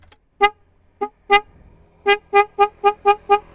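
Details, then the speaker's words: Yamaha Vixion motorcycle, before the upgrade to two Denso snail horns on a relay: a series of short honks in a thin, buzzy mid-pitched tone with gaps between; the original single horn works but sounds weak. "Jelek guys, kayak odong-odong."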